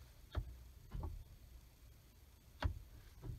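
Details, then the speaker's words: 2005 Ford F-150 Lariat 4WD: a few soft, spaced clicks and thumps as the transfer case shift motor moves to four-high; normal actuator operation, with the four-high light illuminating. "now if the cap if the camera will capture it or not but that's the transfer case actuator turning moving to clock to go to the four high position"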